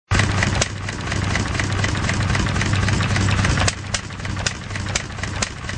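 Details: 1.5 HP McCormick Model M engine running poorly, sounding hit-and-miss though it isn't: slow thumping single-cylinder beat with gaps where firing strokes drop out while exhaust valve closes every cycle; intermittent misfire, owner suspects poor fuel mixture or weak magneto.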